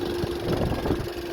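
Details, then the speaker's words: 2011 VW Touran TSI twin-charged petrol at startup idle, engine light on: steady hum with uneven rattling clatter underneath, also rattles while driving; suspected timing chain, not confirmed. "sounds like a timing chain but you know what best way to diagnose is to make a start at a certain point and work properly"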